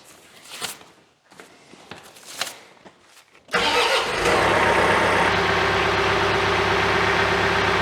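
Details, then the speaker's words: John Deere diesel just after an oil and filter change cranks and catches at once, then settles to a smooth, even idle with no knocks; a brief oil pressure warning cleared once the filter filled. "I got an oil pressure warning for just a second while it filled the oil filter. Now it's fine."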